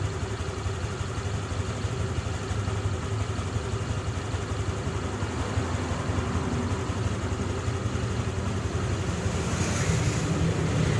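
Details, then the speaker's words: Honda Click 150i scooter, first start after rebuild with new connecting rod, piston, rings, pin, head gasket, original crank bearings: steady even hum at constant idle, no knocking or rattling; runs smooth. "อยากได้ยินเสียงหัวฉีดทำงานนะครับเสียงปั๊มติ๊กก็ร้องที่พี่ยึดนะครับ"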